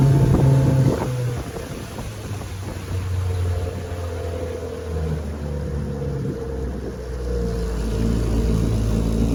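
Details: 1968 Evinrude 9.5 HP outboard, lake test run after repair, on the water: steady low drone rising a little as it opens up, smooth and even under music; running healthy.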